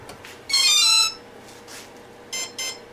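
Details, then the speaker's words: Parallax Elev8 quadcopter ESC, with the throttle at full when power is applied: one long beep, a pause, then two short beeps. This is the ESC entering throttle calibration, followed by the throttle moved down to complete it. "here that beep Now we move the throttle all the way down here three beeps one beep that's it that one is calibrated"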